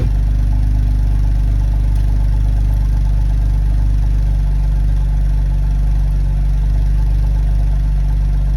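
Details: BMW N52B25 six-cylinder petrol on a cold start, idling with a deep, slightly uneven beat. It hesitates under revs, with codes P0012 and P0015. A camshaft timing fault is suspected and unconfirmed. Rough-running cold start.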